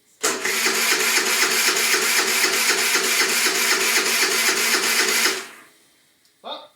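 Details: Qlink Axon 50cc scooter with 500 km, starter churning steadily at four beats a second for about five seconds, never catching. Owner suspects the carburetor because fuel is getting through, and removes the carb next.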